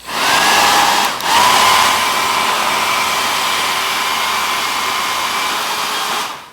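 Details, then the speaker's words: Taiff hair dryer, after repair with fan blade refitted, tested with housing open so louder than normal: steady airy rush and even motor hum at one pitch, no rubbing or rattle; normal running, slight downward play from a small spring judged normal. "eu vou fazer o teste com ele aberto mesmo mas é claro o barulho vai ser um pouquinho alto porque ele tá aberto"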